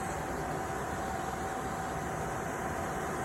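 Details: RV furnace blower fan switched on from inside after dirt dauber debris was cleared from the unit that kept it from lighting; smooth, even rush of air with faint steady hum, no rubbing or rattling, sail switch moving from airflow; healthy blower.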